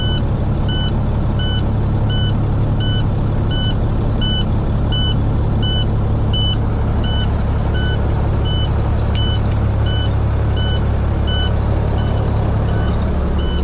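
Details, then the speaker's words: Detroit-engined truck with check engine and stop engine lights, reported motor noise: rapid evenly spaced high beeps over steady diesel idle; stop-engine warning, DEF sensor suspected, not confirmed. "When you guys hear that beep, it was getting on your nerves. Just turn down your volume real low and try and get this diagnostics going."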